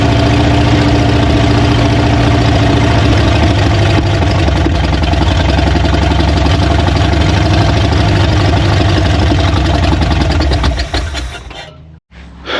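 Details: Old Ford truck, clogged fuel line replaced with rubber line: first start, a strong, steady low rumble with an even fast beat, running smoothly before cutting off. Runs on its own.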